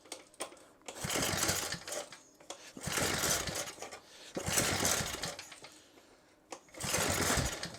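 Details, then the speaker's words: Rototiller engine being reassembled after a sticky clutch gasket was freed with WD40: repeated rasping pull-cord cranking bursts about two seconds apart that turn over but don't fire, though it nearly pops. "come on it so badly wants to I can feel it I can hear it come on come on now"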